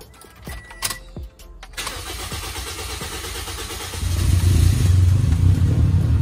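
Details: Car starting: clicks, then a harsh, gravelly crank catches into a heavy, uneven idle; the rough starter sound is from a worn water pump, on a car that also had random stalling and replaced engine mounts.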